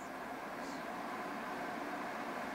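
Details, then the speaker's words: Titan 12V DC 140mm double reversible remote-control roof vent fan, newly installed in a fifth-wheel trailer roof vent: smooth, even airy whoosh at 40–80% speed, no ticks, rubbing or wobble; earlier weird noise solved, normal fan operation. "so they seem to solve that problem with the weird noise that sounds really good"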